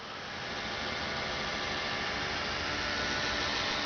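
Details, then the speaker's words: Opel GT Carter electric fuel pump, ignition on, heard from under the car: smooth even electric whirr building slightly then holding steady, no clicking or rattling; normal fuel pump. "And if you can hear, it just makes a nice whirring sound, like a little electric motor should sound, not clickety-clack like pool balls."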